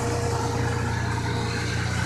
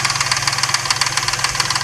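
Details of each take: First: Truck after one week with Marvel Mystery Oil in the oil, final test start: smooth, even idle with no ticking; previous suspected lifter tap gone. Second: Truck with suspected lifter tapping, after adding Marvel Mystery Oil, just started: light, even metallic ticking about eight per second over a steady idle. The occasional rattle seems to fade over the minutes.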